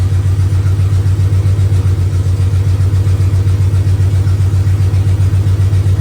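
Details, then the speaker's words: 400 big block freshly swapped into a 1971 Dodge Power Wagon Adventurer, rebuilt Carter Thermoquad, open headers, first start: deep loud steady lope about two and a half pulses per second, no stumbling; healthy idle, timing good. "didn't like that well it's idling now I like that timing"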